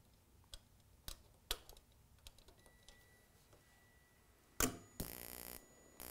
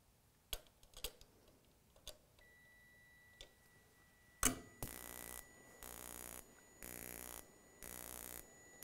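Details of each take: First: Gas furnace intermittent pilot ignition using the spark igniter as flame rod, 27 V measured: sparse sharp igniter ticks about every half second, then a soft whoosh as the pilot lights; ignition working normally. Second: Gas furnace intermittent pilot ignition, spark igniter doubling as flame rod, pilot ground wire issue: scattered clicks then rhythmic rapid sparking about once a second with no burner roar; module can't prove flame, main gas valve not opened.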